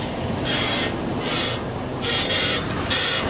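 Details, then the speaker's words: 2023 Ford F-450 at 50,000 miles, engine running, steering wheel turned: harsh grinding screech about once a second, also as the wheel returns to center, loudest on driver's side; not the power steering pump but something in the front end. "also notice is when it's making the noise, it is also when the steering wheel returns to center. So something is really going on, and that's actually not the power steering pump itself, although it did kind of sound like it was a power steering pump."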